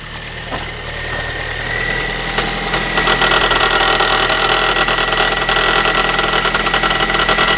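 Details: Ford Focus 3 1.6 (125 hp) at cold idle after a cold start: a light, tinny rattle ticks fast and even on top of the engine. The owner is asking for the cause of this metallic knock. Not yet identified.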